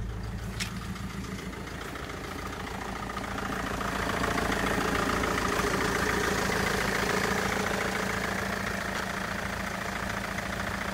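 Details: Mercedes Vito: engine picks up on the throttle but runs with a lumpy, uneven beat as revs rise; rough running under revving, cause not clear.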